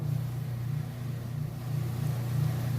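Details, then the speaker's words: Kenmore washer with heavy load of clothes, lid opened during spin cycle: steady low hum with even pitch and gentle rise and fall, no banging or thumping; spins fast and comes to a stop normally. "I want to show you that it is in fact spinning nice and fast comes to a stop"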